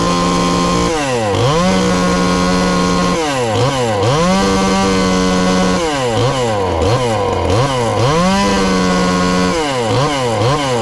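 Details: Ported 2375 chainsaw with choke hooked up, still on pump gas before the alcohol goes in: repeated blips from idle to a high scream, clean pickup with a slight burble at the top. Healthy, tuned rich.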